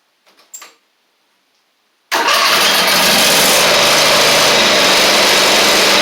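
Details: Husqvarna LGT2654 mower engine after the one-cylinder fault was fixed, test-run with a temporary gas tank: it catches at once and settles into a loud, steady, even run with no knocks, smoking heavily from gunk built up while running on one cylinder.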